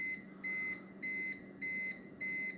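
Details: Consumer-grade UPS running on battery, with a poor stepped sine-wave output; its battery is probably about to die. Sharp, high beeps of about a quarter second each repeat roughly every 0.6 seconds: the UPS alarm.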